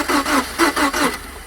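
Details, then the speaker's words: 2002 Subaru Impreza towed in with a no-start: starter turns it over relatively normally in steady pulses about five a second, six or so strokes, never catches; one spark plug found significantly more worn, cause not confirmed. "This morning we're working on an 02 Subaru Impreza that was towed into us with a no start condition."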